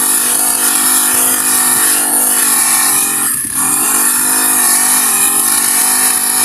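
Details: Honda GX35 grass cutter, after cleaning its dirty carburetor (stalling/no-start fault): high steady buzz with one brief rev dip recovering straight away; revs freely and runs evenly.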